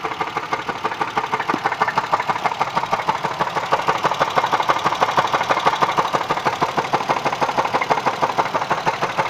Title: Engine knock what is it?